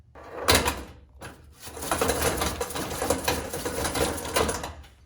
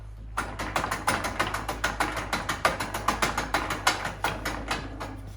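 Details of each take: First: John Deere / Brinly 42-inch lawn sweeper after drive hub repair (wheels turned but brushes didn't spin): quick run of dry ratcheting clicks, pawl catching and locking cleanly on each side; drive engaging properly. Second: John Deere/Brinly 42-inch lawn sweeper after two seasons, intermittently missing grass: wheel turns but brushes don't spin, sharp clicks about three a second as the pawl skips over a worn, rounded ratchet gear.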